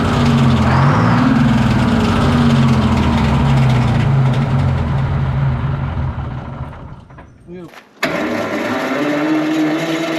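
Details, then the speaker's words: Twin-turbo Detroit Diesel 12V71 generator just fired up after sitting abandoned in a field: steady rapid rattle of about four knocks a second over the idle as the cooling fan blades strike the fan guard. "what's that thing rattling in the fan is that what that is that rattling noise yeah it's hitting the the fans hitting the guard"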